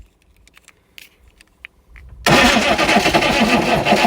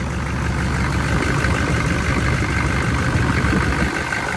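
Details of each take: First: Chevy 6.5 turbo diesel after sitting 5 years dead, hot-wired with starting fluid, booster unhooked: loud rough cranking at about four beats a second, smoking but never catching into an idle; cranks, no start. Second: Chevy 6.5 turbo diesel running again after sitting 5 years: loud, steady diesel clatter at even idle, no misses or knocks; slight blow-by noted but minimal, running healthy.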